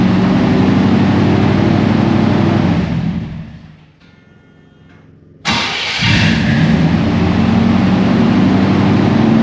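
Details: 1991 GMC Suburban R1500 5.7 TBI after replacing grinding starter with offset-bolt starter (168-tooth flexplate): engine runs, shuts down, then restarts instantly without starter grind into even idle; normal start.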